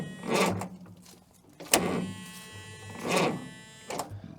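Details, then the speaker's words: Caterpillar 922B loader diesel that sat over a year, cranking on a jump pack: starter drags the engine over slowly, about one labored stroke a second, uneven and weak; owner unsure whether the starter or the jump pack is at fault. "well she's not real enthused about turning I don't know whether that's saying something for the starter or for my jump pack"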